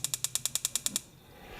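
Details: Old BBQ grill that stopped lighting, igniter button pressed: rapid even ticking, roughly ten snaps a second for a second, with nothing catching. Sparks but won't light.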